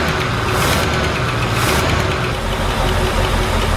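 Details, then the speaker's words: 1972 Ford Gran Torino 400 two-barrel V8, first start after 17 years of storage on old yellowed fuel with choke closed: loud, steady idle with a busy rumble and no distinct knock; normal idle, tune-up still planned. "Holy smokes. It's running. It's alive. No gas, no nothing. It's running. 17 years. Wow. All right, that sounded really good."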